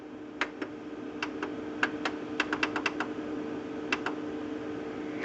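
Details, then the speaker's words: HP LaserJet 2400-series printer powering up after replacing the 3 main fuser drive gears to cure a loud clunking noise: steady low hum with a few light scattered clicks and no clunking; normal startup, repair fixed the problem. "Absolutely no clunking at all. So the 3 gears solved the problem in this case."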